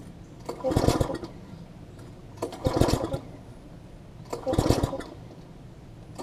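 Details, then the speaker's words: Long-stored MTD front tine tiller with a new spark plug, plug getting wet: pulls about two seconds apart each give a short popping burst that dies; fires but won't run, later traced to miswired carb throttle linkage. "we'll know if it is spark related or not I mean it's still it's still hitting like it wants to fire"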